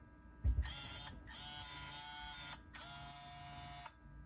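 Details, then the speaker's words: 2004 Toyota 4Runner V8 Limited, 246,000 miles, in neutral with ignition on: new Aisin SAT-003 4WD actuator gives a soft clunk, then two clean one-second motor whirs, cycling center diff lock and 4WD low; normal actuator operation. "All right, so that was just to test that the new actuator works in every position. Everything good."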